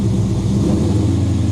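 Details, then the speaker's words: V8 after distributor moved a tooth from badly retarded timing, now reading 20° and needing to come back; even, low idle rumble with no stumble, smoother than before; smoother running after timing adjustment. "That's happier again. Yeah, okay. We're at 20, so we've got to get it back a bit."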